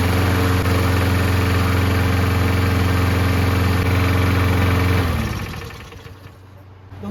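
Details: Toro Recycler lawn mower, single-cylinder, runs at an even, steady idle with no misses or knocks after repair, then shuts down cleanly; the kill wire cable had come off. Engine sounds healthy.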